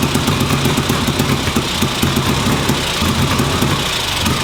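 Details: 1958 Ariel Huntmaster 650 twin motorcycle, run on the bench after recent purchase: fairly even, quick-firing idle with a steady beat and no misses.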